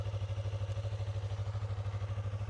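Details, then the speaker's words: Abandoned Yamaha R3 motorcycle recovered from the Nevada desert and started with a jump starter: a quick, even idle pulse around ten beats a second with no misses or mechanical knocking; a normal, healthy idle. "like a normal bike. What's so demonic about you?"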